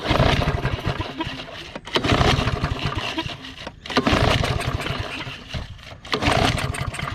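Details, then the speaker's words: Discarded lawn mower, pull-start cranking: uneven cranking in bursts about every two seconds with rough catches and pops, popping off a couple of times without starting; abnormal cranking, cause unclear. "you're right something doesn't sound good"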